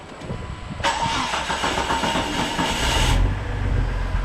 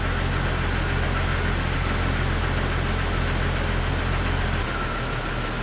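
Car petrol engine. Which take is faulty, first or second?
first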